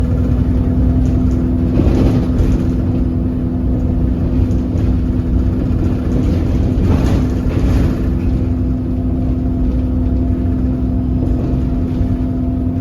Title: Enviro 300 weird engine sound filmed on 27631